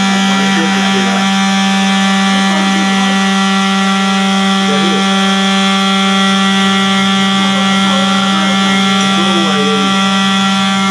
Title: I believe every apartment has experienced one time about Fire alarm making noise..like this one.